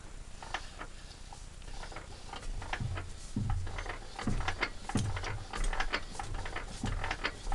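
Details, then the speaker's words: Petter A1 engine turned by hand: slow, uneven, gritty scraping each stroke as the piston grinds on a scored bore with nail-deep score marks near the top; water had got in, needs a new bore. "I'm not sure what the other board's like, and you can hear it. You can literally hear it grinding against there."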